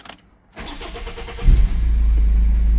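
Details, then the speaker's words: 2014 Subaru Outback, 2.0 L turbo diesel E20 engine, cold start. Brief cranking, then it catches and settles into a steady low diesel clatter at idle; it stalls after about 30 seconds, cause not evident here. "We're cold. That's all it does. It just stalls after a few minutes."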